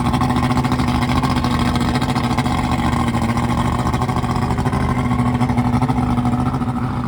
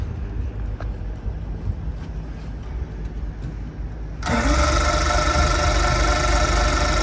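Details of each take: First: Carbureted outboard newly installed on a boat in place of a fuel-injected engine, test-run on a hose for a few minutes to check for overheating: smooth steady drone throughout, no surging, misfires or rattles; runs healthy. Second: Boat engine converted from fuel injection to carburetor, rewired with a newer harness, no fuel in the system, sprayed with carburetor cleaner: steady rhythmic cranking about three beats a second but it never fires; cause not yet found.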